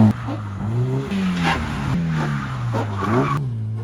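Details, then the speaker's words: Mazda MX5 at autosolo: engine revs rise and fall with short rough crunching bursts in corners as tyres catch the wheel arches; ride height too low despite two sets of coilovers. "that's not me crunching gears that's the car catching the Arches now try as I might with two sets of coilovers now I have been unable to put the right height on it that it needs for auto testing it's catching too much"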